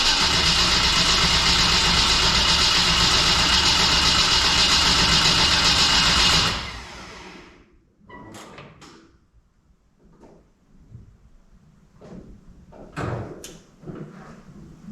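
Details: Stock-block drag car built for a 6-second quarter mile, first start attempt on a weak battery: about six seconds of fast, even cranking that never catches. No fuel pressure; the owner suspects the dry fuel system needs manual priming.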